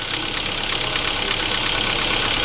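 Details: 2007 Kia Ceed 1.6 petrol, 150,000 km, cold start: fast metallic ticking from the upper engine over idle, fading as it warms, oil consumption up; worn intake cam phaser suspected, and the noise disappeared after replacing it.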